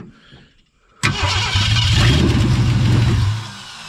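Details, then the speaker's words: 1963.5 Ford Galaxie 500 with 390 FE V8, no compression on #1 cylinder, freshly rebuilt carburettor: starter cranks steadily about three turns a second with no firing; fuel pump dry, out of gas. "may be out of gas yeah the pump's dry yep pump dry out of gas"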